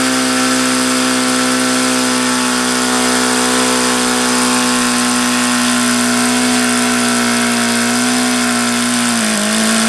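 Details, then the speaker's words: HP VT 21 rotary-valve four-stroke glow engine, bought used, primed with throttle fully closed: steady high-pitched buzz near one speed, won't idle down below about 4500 rpm; leaning low-speed needle changes nothing. "goddamn sense at all as to why it won't idle down and why it sounds like no matter how much I lean that low speed out it doesn't change it always sounds crappy it won't idle below maybe 4500"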